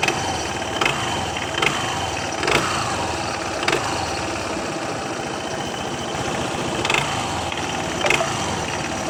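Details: Adv 160 scooter idling with the throttle blipped; sharp clacks roughly every second, a knock on each throttle blip. Worn CVT sliders and drive belt need replacing; the knock was gone afterwards.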